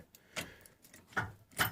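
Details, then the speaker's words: 1981 Ford F-150 Custom that won't start, ignition switch and key core replaced: only a few faint, sharp clicks from the back at uneven intervals when the key is turned, with no cranking. "but I replace the ignition switch you hear they're clicking in the back"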